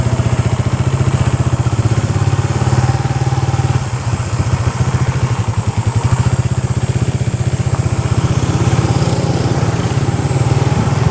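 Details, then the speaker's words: Suzuki Raider 150 Fi rear brake after fixing noise that began with new brake pads, caliper pins and dust boot lightly greased: test ride with steady putter, no squeal, scrape or grinding through stops; fix effective. "So ayun na nga mga tol, wala na tayong narinig na kakaibang tunog kaya effective naman yung ginawa natin."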